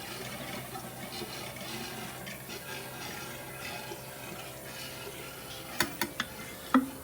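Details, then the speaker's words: Porsche 928 Bosch K-Jetronic fuel system being tested with about two litres of petrol in the tank: irregular gurgling and slurping over the fuel pump hum as air comes through the line while the tank runs dry. "didn't hear the air coming through now as we're just running out of petrol"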